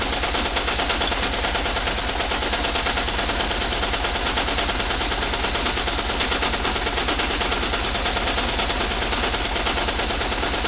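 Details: VW Type 4 2-litre engine at steady speed with a sharp, rapid knock of about three per second sitting hard over the engine; a clear internal engine knock, cause not stated.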